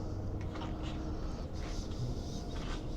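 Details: BMW R1200RT-P, boxer twin after fuel cap work: low even idle with steady beat, no knocks or rattles; running smoothly and ready to ride.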